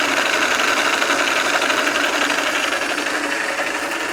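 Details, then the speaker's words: South Bend lathe nylon change gears running with 600-weight oil pumped in through a recirculating oil system; even smooth whirring hum, no clatter or grinding, quieter with each pump; normal gear train running. "oh I like it gets quieter every time I pump"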